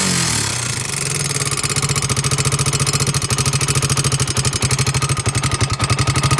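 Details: 2002 Honda 300EX single-cylinder quad engine catches and settles into idle with a sharp, rapid loud tick on every firing pulse, louder on the right side of the motor than the left; cause unknown.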